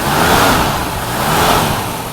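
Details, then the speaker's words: 1968 Mercury Cougar XR7 engine, still a little cold, some blow-by at the oil cap: revs up and settles with a steady, even note, no knocks or misses, slightly rough from cold. Normal revving. "Okay, it's still a little cold, so that's why it's going to run the way it is. But as you can hear, it's nothing too terrible."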